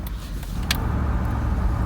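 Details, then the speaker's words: 2007 Jeep Grand Cherokee Limited V8 flex-fuel, driving after IAC valve replacement: a steady, even cruising drone with no RPM drops or stumbles, and it pulls smoothly at full throttle. It previously dropped RPM around 30–40 mph on the 3rd–4th shift and had a rough idle. "I can floor it and behaves just like it was new so I'm pretty sure that the AIC was faulty it was starting to fail and it just needed to be replaced"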